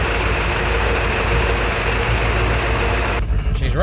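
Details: Ford 7.3 Powerstroke diesel after replacing a faulty IPR valve, back together for a test drive; uneven, lumpy idle with irregular chuff and shake under the clatter; owner suspected dead injectors, but test shows all firing, suspects an internal problem.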